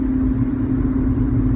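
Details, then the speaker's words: 2001-2005 seventh-generation Honda Civic with rear drum brakes, original rear wheel bearings over 400,000 km, driving about 50 km/h: steady wooing howl over road rumble, heard 50-80 km/h; worn rear wheel bearing, fixed by replacing both rear hub bearings. "I'm B basically um driving right now on a side road and you can sort of hear that bearing making sort of howling noise I'm going about 50 km an hour right now and you can hear it kind of go like it's almost like a wooing noise that just see to sort of persists"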